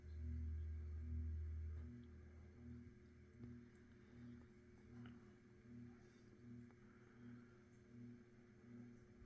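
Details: Mid-to-late-1980s Saff Enterprise Flush Polo 52-inch 3-speed reversible hugger ceiling fan on low speed: quiet steady motor hum with a faint tone above, pulsing about four times a second; normal hugger-fan hum and harmonics.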